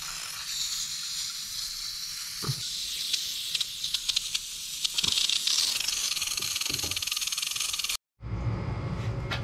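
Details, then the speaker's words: Pressurized water spraying from a leaking supply pipe in the basement of a 12-unit apartment building; constant high airy hiss under clanks and footsteps, leak heard but not yet seen before shutting off the main. "I hear something. I see water. I hear it spraying. I just don't see it. Oh man, that's bad."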